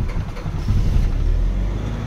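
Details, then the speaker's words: 2017 Nissan Navara diesel with code P0089 fuel pump fault, after hard start: idle swelling and sagging, RPM hunting up and down, breathless rhythm; unstable idle from fuel pump fault. "At kita naman natin dito sa RPM oh. So nag up and down. Parang hinihingal ang makina natin ngayon."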